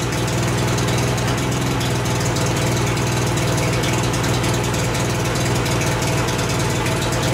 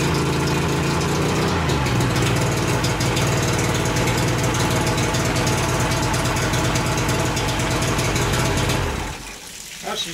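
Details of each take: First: 1988 Mercury 70 hp three-cylinder two-stroke outboard, first start in years with choke: a steady, deep, even idle burble with no misses or knocks; it idles cleanly, though gas later leaks from the middle carburetor. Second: 1988 Mercury 70 HP two-stroke outboard, first start in years, good spark on all three cylinders, carbs not yet cleaned, middle carburetor leaking gas: engine fires and settles into a busy, slightly uneven idle that dies away near the end.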